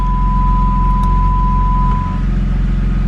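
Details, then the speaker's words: BMW E90/E92 with a parking sensor (PDC) error, engine running, shifted into reverse: clear, high, steady warning tone, then silence, meaning the parking sensors are detecting and working normally. "popping in reverse ah that's a good sound that means they're working"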